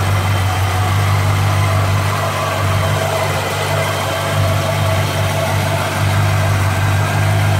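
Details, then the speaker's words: 1957 Chevy convertible V8 with over 250,000 miles, at idle after exhaust manifold repair: steady even exhaust pulse, the earlier clack-clack at the manifold gone, sounding sealed and healthy. "I'll pick it sealed up because even at idle before you hear that clack clack clack in the exhaust"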